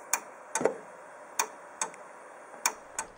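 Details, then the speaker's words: Older Samsung LN-T4042 TV gives sharp relay clicks every half second to second while failing to power on; a possible cause is bulging capacitors inside. "do you have an older Samsung TV that makes a clicking relay noise like this when you try to turn it"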